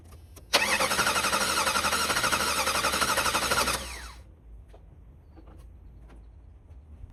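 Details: 1991 Jeep Wrangler 4.0 L High Output that sputtered out and won't restart: starter spins the engine at an even four beats a second for three seconds without catching; no spark, failed crankshaft position sensor.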